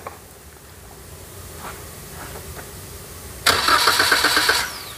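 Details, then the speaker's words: Toyota Calya/Daihatsu Sigra: starter turns the engine over at about four beats a second but it never fires, because the blue 15 A EFI fuse was removed; the check-engine light stays on. Crank, no start. "ya Mesinnya tidak bisa hidup kita cek di lampu-lampu fb-nya ini nyala atau ndak"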